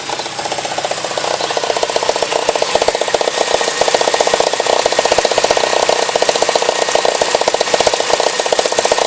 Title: 944 2.5 petrol n/a engine knock